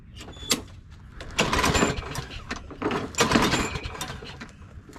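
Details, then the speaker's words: Craftsman push mower with Briggs & Stratton 650 series engine, after carburetor replacement and priming, catches off the pull cord and keeps running with an uneven, busy clatter like a healthy mower; normal running after repair. "all right all right so it is that simple all we had to do was replace the carburetor and she runs"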